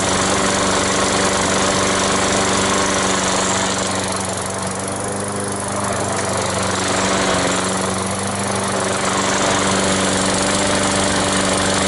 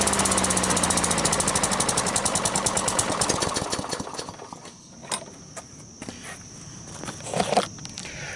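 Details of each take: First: Sears lawn mower after draining water-contaminated fuel and refitting the carburetor, no parts needed: steady even single-cylinder putter with no surging or misfire; running healthy. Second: Cheap flea-market Sears lawn mower fires and pops rapidly and evenly for about four seconds, then sputters and dies; spark and valves fine, no primer slurp heard, owner suspects carburetor problem, possibly water in gas.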